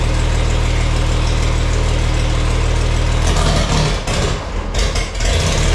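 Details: Farmall 460 gasoline tractor, rebuilt engine, after installing electronic ignition and rotating the distributor to set timing: fairly even low idle beat, then a blip and settle, no misfire; sounds nice but not quite as responsive on throttle.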